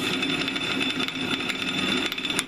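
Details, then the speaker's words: Drilling an annealed high-carbon steel railroad clip: an even, steady hiss as the bit cuts cleanly, with no popping or chatter. It cuts much faster under less pressure than the unannealed piece. "this is the annealed piece it's cutting a lot faster I'm applying a lot less pressure"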